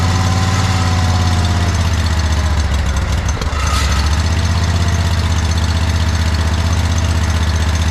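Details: John Deere 317 lawn tractor with Kohler Command 18 hp engine, after fitting a new fuel pump; low even drone, no stumbling, knocking or surging; no leaking, runs pretty decent.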